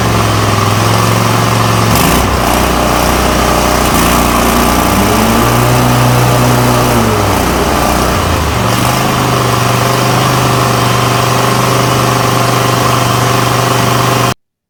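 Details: Toro Titan MX5400 with Kohler Confidant 23 hp V-twin after ignition coil replacement, blades engaged: strong, even drone dipping briefly under load and recovering quickly; full power, no more bogging or rough running.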